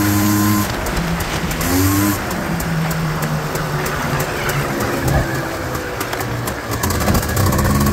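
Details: 1989 Honda Pilot FL400R two-stroke after engine rebuild (previous bearing noise, suspected crank bearings, chewed piston) and airbox lid swap, first ride: crisp buzz rises and falls cleanly with throttle, no knock or rattle; running healthy.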